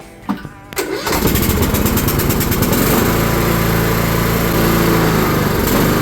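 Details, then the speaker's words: Cub Cadet mower's Kohler engine, sat in a shed a couple of years with mouse nest, thought to have locked up from no oil; after new coil pack and wire, gap set, new air filter: brief crank then steady even running, healthy. "and installed it new blades and got everything thing all freshened up so it runs great now"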